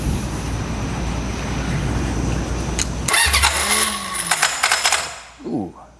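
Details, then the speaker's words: Honda CB750F from junkyard, sat for decades, first attempts to run: uneven cranking that catches briefly then falters and dies; slipping starter clutch. "starer clutch is not happy"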